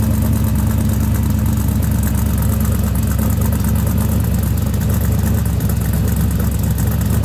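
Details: Twin-turbo LS V8 in a Chevy II Nova, pump-gas motor making about 800 hp on the dyno, with stainless headers, wrapped exhaust, and one blow-off valve: deep, steady idle with an even firing beat and no knocks, ticks or misses; healthy.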